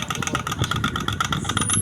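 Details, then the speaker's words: Powered ceiling fan with two capacitors: fast even clicking, about six or seven a second, over steady motor hum, louder as speed rises; repairer attributes it to the magnet pulling the coil inside; motor clicking under power. "তো electricity দিয়ে চালালে শব্দ কেন হয়, এর ভিতরে এক ধরনের ম্যাগনেট তৈরি হওয়ার কারণে ম্যাগনেটটি যখন কয়েলটাকে টান দেয় তখন এই জায়গা কটকট করে আওয়াজ হয়।"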